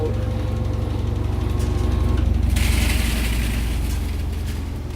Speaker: And now it's spinning down. At least it was loud.